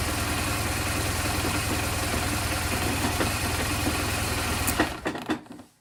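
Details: BMW R1200GS boxer twin started in gear with clutch switch taped down for a no-start problem: steady even idle for several seconds, then clean shutoff; normal idle.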